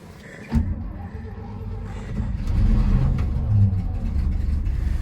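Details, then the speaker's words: Mid-1970s Chevy C60 truck, 350 Chevy V8, 4-speed, 2-speed axle, new battery, choke used, about 35 degrees out: uneven crank catches, then rough surging idle rising with throttle; hard cold start. "Oh, come on. Give it a little gas. Well, she started pretty good. It's about, I don't know, 35 degrees out right now."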